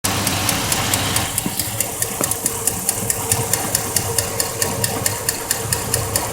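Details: 2004 Chevrolet Silverado V8 at idle, hot engine; sharp even tick about twice a second mimicking lifter tick or piston slap, caused by a loose spark plug whose boot's metal shield rattles against the block; fix is re-torquing the plug.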